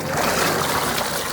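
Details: Mercury/Mariner small 2-stroke outboard first start after carburetor rebuild, running in neutral: steady, even note over constant splashing of the telltale water stream; healthy normal running.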